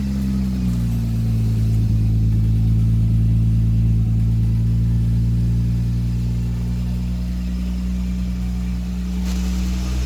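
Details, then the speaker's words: 1977 Toyota Celica RA28 with 1G-GTE engine, first start after build, makeshift exhaust pipe, intercooler not connected: deep, smooth exhaust drone, steady rumble swelling gently with revs, no knocks or clunks. "it sounds good it's smooth there's no knocks there's no clunks"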